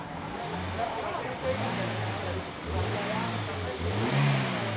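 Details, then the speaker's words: Flood-damaged ex-taxi car, engine showing mud and dust residue, first start with AC: engine picks up cleanly from idle and falls back smoothly, no knocks or misses; smooth, responsive, normal idle and revving. "Suaranya halus dan tenaganya tuh kayak masih responsif. Weng, weng. Kayaknya mesinnya oke nih."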